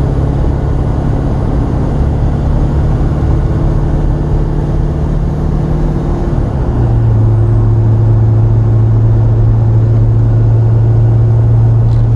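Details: Silverado dually with a Duramax, test drive at 60 on the highway after rebuilding the AAM 11.5 rear end with an Eaton locker, new bearings and gears: even low rumble with a faint gear hum, no whine or clunk; normal differential at cruise.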